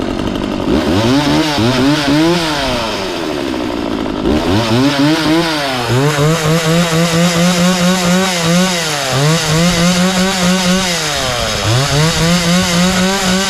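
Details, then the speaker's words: McCulloch Mac 3200 32cc 14-inch two-stroke chainsaw, previously worked on by someone else, after repair: revs cleanly from idle to full and back, pitch rising and falling smoothly with no stumble, chain oiler confirmed working; normal running. "uh so everything's good with this chainsaw it runs good sounds good"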